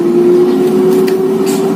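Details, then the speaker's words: Mito digital air fryer: a loud, steady mid-pitched blower tone with no wobble or scrape. It was preheated for 10 minutes at 80 °C, and the blower keeps running about 10–20 seconds after the timer ends. Normal fan running. "Nah nanti tuh blowernya akan masih menyala Sebentar gitu sekitar 10 20 detik"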